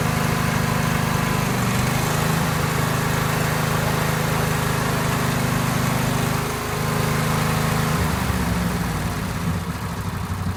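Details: Free neighbour's garage-find Cub Cadet 1190 lawn tractor, twin engine, revival after storage: low, steady throbbing idle holding even with slight wavering; running properly.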